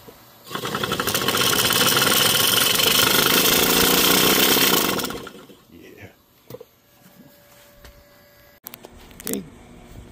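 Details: Seized scroll compressor from a daughter's old AC condenser unit, cut open and reassembled, running for the first time: harsh rapid rattling grind for about five seconds, then it shuts off; noisy compressor with the cause not confirmed.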